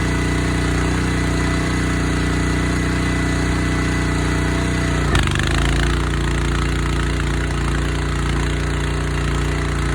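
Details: Honda GX160 on a Splitfire wood splitter, earlier bogging under splitting load, after carb clean, jet check and oil change, warming up: even, steady single-cylinder thump, brief rev change settling cleanly; normal running.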